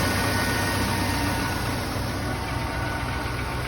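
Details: 2004 Chevrolet Tahoe 2WD 5.7 V8 started after starter replacement (no-crank no-start fixed): even, steady idle with smooth low rumble, no knocks or misses; normal idle.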